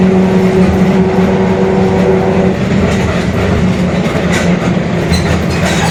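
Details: Mercedes-Benz OF-1721 Bluetec 5 extended urban bus, Mascarello GranVia Midi 2014 body, built 2021, cruising: a steady low drone holds under the rolling and road noise, from a growling rear differential.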